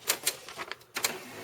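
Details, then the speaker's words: HP LaserJet 1160, manual tray 1 with envelope or single sheet: short clicks and brief whirr as pick mechanism cycles then stops, failing to grab paper; owner suspects sticking tray 1 solenoid on right side. "can hear it turn on but it's not grabbing the paper so I have to do it a couple of times for it to grab the paper"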